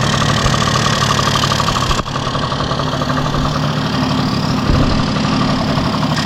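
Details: 1971 Yamaha Mini Enduro two-stroke, first start in decades after carburetor cleaning, muffler refitted with washer O-ring; steady crackling idle at about four beats a second, no dying or hunting. Normal two-stroke idle.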